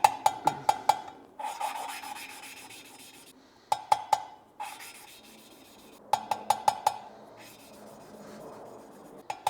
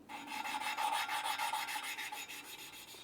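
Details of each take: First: BMW 335i N54 head rebuild, valve spun by hand with suction cup and lapping compound: light swishing rubs and metallic taps, the low-pitch grinding gone once the valve seat has lapped in. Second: BMW 335i N54 cylinder head valve lapped by hand with a suction cup and coarse compound: gritty, low-pitched back-and-forth grinding about three strokes a second.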